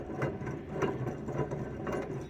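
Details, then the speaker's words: Saturn S-Series wheel hub bearing spun by hand: gritty rumbling, crackling grind with a rough surge about twice a second; very bad, noisy wheel bearing found while fixing a wheel rub; owner suspects wheel offset and spacers. "i mean i thought i had some play when i could spin the wheel on here it it i could hear it crackling and stuff"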